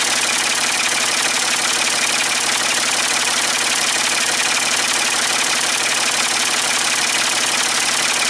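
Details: Ford 550 TLB backhoe, 3-cylinder diesel, after reassembly and injector fuel bleeding, cool day: steady even idle, regular clatter near three per second, no misses or odd knocks; healthy, only a small injector return-line drip.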